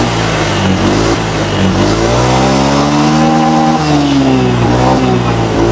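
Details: Honda Beat Street FI scooter after cleaning the dirty injector, which had made it stutter and die on throttle: revs climb and drop cleanly with a smooth, unbroken tone and no stutter or cut-out.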